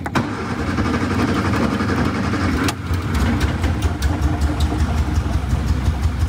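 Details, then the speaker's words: 1962 Austin Healey Sprite Mark II, long-sitting, restarted after priming the oil pump through the port (had no oil pressure): cranks, catches after a couple of tries and settles into a steady even idle with no knocking; oil pressure now present. "there you go we have oil pressure now i'll let it pump oil make sure that it gets up all the galleys gets to the top of the engine lubricates the valves"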